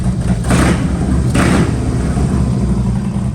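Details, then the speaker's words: Honda CB750 motorcycle after Dyna S ignition install and static timing: steady, even idle with two clean, crisp throttle blips that pick up and settle back smoothly; healthy-sounding engine. "She's running. She's running. She's a runner."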